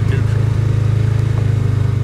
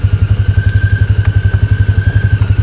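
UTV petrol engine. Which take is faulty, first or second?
second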